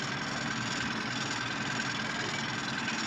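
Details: Idle of the outboard on a 1993 Duckworth 24' Magnum jet boat, after a choked start, with the listener right beside the motor. Quiet, even idle hum with a faint steady whir, no knocks or misses; idling cleanly.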